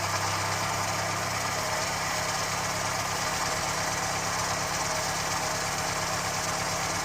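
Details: Ford Fiesta Mk1 petrol, left sitting outside in rain, with developed misfire; plugs, distributor cap and rotor checked, carburettor fuelling turned down, cuts out when air filter pressed: uneven stumbling idle with faint irregular low pulse, likely misfire.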